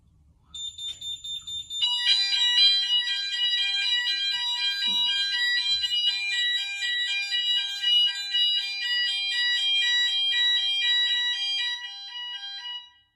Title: A beeping fire alarm can be annoying, but don’t ignore it, it’s there for your safety. #hikvision